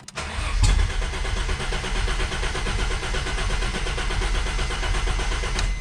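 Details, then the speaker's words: 1991 Ford Scorpio 2.9 V6 Cologne, after adding about 15 L of petrol: cranking catches into a short, ragged burst then stops. The owner suspects the LPG system is causing a lack of fuel and finds strange injector voltage pulsing. "and that was it I'm high suspicious of this uh LPG you know like gas thingy here this might be the cause of our lack of fuel in the engine"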